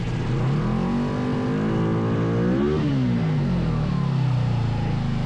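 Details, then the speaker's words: 500cc two-cylinder buggy engine after fixing a dead cylinder and synchronizing the carburetors: revs up smoothly and settles back, both cylinders firing evenly with no stumble, running healthy and balanced. "Yeah, good. Now the left one is doing a little bit more. It sounds good. It sounds good. I think we should leave it there."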